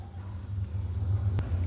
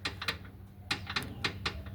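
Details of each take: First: 2005 Ford Fiesta after replacing stripped rear transmission mount bolt with new bolt and reinforced nut: steady low engine rumble, no repeated clunking; mount now holds firm, noise fixed. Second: 2005 Ford Fiesta gives sharp metallic clacks, in pairs and singles, from a rear gearbox mount moving by hand; the original bolt and nut had stripped threads and would not tighten, replaced with a new bolt and reinforced nut.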